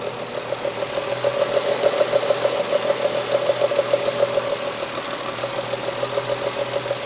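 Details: BMW S50B30 straight-six idling with the engine cold: quick, fairly even light ticking about three per second over the engine hum; source unclear; cold-engine ticking noise.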